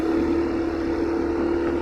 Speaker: Endingnya ya servis terakhir sebelum servis yang ini diganjel pakai plastik si selangnya itu, jadi bunyinya baru normal lagi nih.